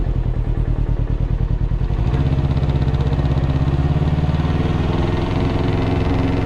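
A steady idle with a regular, dull knock repeating about three times a second; it is a clear knock, but its cause is unknown.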